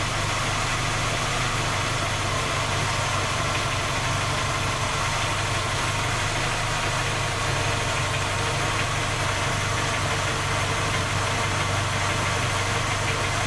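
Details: Skoda Octavia A5 facelift 1.6 MPI on cold start: steady, fast light knocking over the engine hum at idle; three engine repairs done, fault not found, still knocks.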